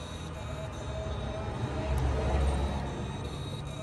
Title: 2014 Prius Whining Noise without engine start